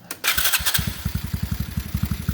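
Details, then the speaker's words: TaoTao GK110 go-kart, 4-cycle, restarted after new carburetor and air filter base fitted, checking idle adjustment: short crank, clean catch, steady thump about eleven beats a second, no hunting; clean, even idle. "Make sure that the idle is adjusted properly. Oh yeah, I like this. This is a good one."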